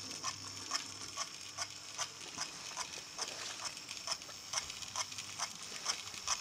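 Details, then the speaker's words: Repaired DC analog A3 6039 "Sandwich" locomotive from Talisman train pack, after fixing pickups and tender wire: faint thin primitive motor whir with even ticking about twice a second, running smoothly. "If I don't talk, you'll just hear it running smoothly backwards and forwards. When I say running smoothly, you can hear the motor. It is a very primitive motor if you look at the other videos of it taken apart."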